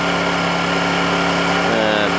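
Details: Honda generator idling steadily just after a cold start: an even hum with a constant low drone and no knocks or misses, a normal smooth idle.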